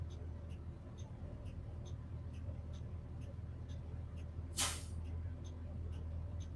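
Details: Old school bus number 12 with air brakes, during pre-trip with master switch and lights on: steady sharp beeps about two per second over low diesel idle; alarm for open rear emergency exit.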